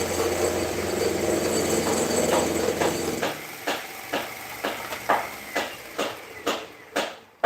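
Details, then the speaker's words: Grizzly G0704 mill running a 2-inch shell cutter in a heavy cut: cutting drone sags as the spindle motor bogs, speed control compensates and overshoots, with sharp chattering about twice a second; spindle motor bogging and chatter. "so basically it can do it you can kind of hear that uh the motor box down just a little bit and then the speed control tries to compensate and it kind of overshoots a little bit"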